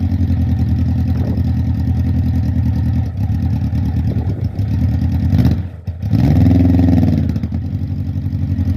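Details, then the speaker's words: Suzuki Bandit 1200 SK4 four-cylinder after carb cleaning, fuel in tank, not yet warmed up: uneven idle, revs sag and stumble when the throttle opens before recovering; still bogging on acceleration, cause uncertain, to be retested warm. "unfortunately guys it still seems to be bogging down when you try and accelerate we're going to heat it up and see what happens"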